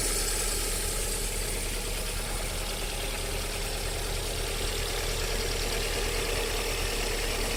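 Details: VAZ 21127 engine at warm-up idle: light, loosely regular ticking knock about four per second; unexplained engine knock heard until about 40 °C, then it disappears, cause not pinned down.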